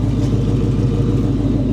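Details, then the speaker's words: Carbureted car, cold start after sitting at least 24 hours, gas pedal pumped a couple of times: deep, steady idle rumble with an even beat and no misses or stumbles, idling on its own. The idle is normal. "It's idling on its own, right? Not a problem. Listen to that. Cold start. Idle's perfect."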